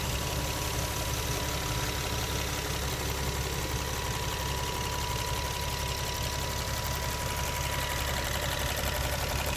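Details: Infiniti G37 cold start idle: even fast ticking about three per second; traced with an oil funnel to the vapor canister purge solenoid, not injectors; replacing it did not fix the issue, new part equally noisy; ticking at idle.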